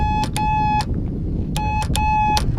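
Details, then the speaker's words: Cessna 182RG stall warning horn tested on the ground during preflight, master on, flaps down, on a windy day: four steady horn bursts with sharp clicks between; the horn is working. "It's working, it'll make the boop boop in flight, but sometimes on the ground you hear it clicking. Okay, so that means it's working."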